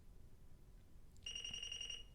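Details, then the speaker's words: Apple IIe built-in diagnostics: a single high, steady beep under a second as the self-test fails because the keyboard is not plugged in; the test keeps looping until the keyboard is connected. "in this case the problem is the keyboard's not plugged in so let's let it run one last time and then we'll plug in the keyboard"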